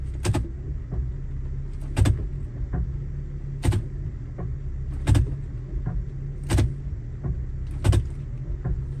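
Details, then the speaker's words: 2005 Honda Element EX 4WD automatic with aftermarket NAPA CV axles; sharp clicks roughly every second and a half over low rumble as drive takes up on shifting, vibration worse than before; axles clicking, fixed by fitting new genuine Honda axles. "hopefully you can hear when I shift the gears too you can actually hear the axles clicking"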